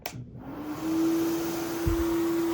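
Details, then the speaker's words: 23-year-old AirVac AV3500 central vacuum: motor spins up with a steady, piercing squeal over the air rush from a worn motor bearing, which goes away on its own after a while. "you can hear that motor bearing screaming for its life now after a while it goes away on its own"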